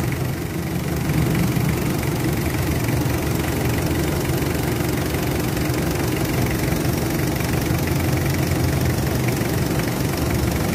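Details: Mitsubishi Adventure diesel with throttle delay, vibration and low power: steady low clatter at idle with uneven, slightly lumpy beat and shake; rough idle, cause not confirmed.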